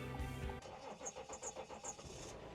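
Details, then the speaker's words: 2017 RAM 1500 3.0L EcoDiesel cold start: brief crank taking a second, then diesel catches with a few uneven pulses before settling into a steady clatter; normal cold start. "This is a cold start, by the way, so did take a second."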